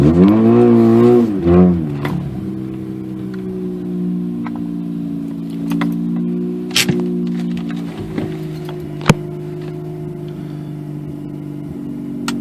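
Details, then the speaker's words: 2004 Mazda RX-8 rotary, 105,000 miles, cold start at 62°F on old plugs before new coils, P0410 code, after throttle-body tinkering: brief rev, then uneven idle with occasional sharp pops. Owner suspects misfire; unconfirmed. "I don't know how well you can hear that but it's still a little bit of popping and stuff that I'm actually hoping these new coils will get rid of"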